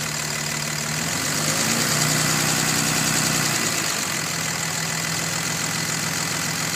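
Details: 2005 Dodge Cummins 5.9 diesel at idle: a faint, even tick or knock of about three per second under the clatter, loudest when cold and fading somewhat once fully warm; source unknown.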